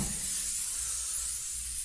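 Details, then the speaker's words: Fuel-injected 2.9 Ford Bronco II revived after sitting in a field since 2001, while airing up the air shocks: loud, steady, high-pitched rushing hiss with little engine sound underneath. An air line appears to be leaking, cause not confirmed. "oh there it goes what is that buddy that dang airline's going"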